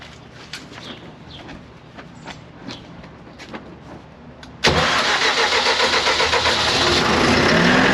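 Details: CAT (Perkins) C4.4 diesel with a crank-no-start from excess return fuel bypassing the injectors, after injector replacement: quiet ticking, then it catches suddenly and runs evenly; clean normal start.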